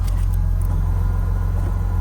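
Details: BMW E36 that had been leaking fuel, running after refuelling with no leaks seen; deep, even rumble at steady low idle with no stumbles, ticks or hiss; normal idle.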